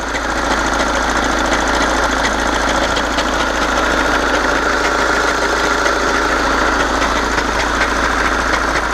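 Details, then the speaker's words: 2011 Volkswagen Jetta MK6 TDI common-rail diesel with DSG, 185,000 km, idling at about 34 °C transmission temperature during DSG service: loud idle with uneven rattling clatter from a noisy dual mass flywheel. "Also, you can hear the dual mass. It's noisy."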